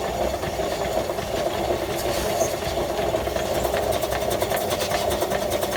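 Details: 1915 Stanley Steamer Mountain Wagon steam engine running: steady tapping knock once per revolution over the even beat; cause not identified.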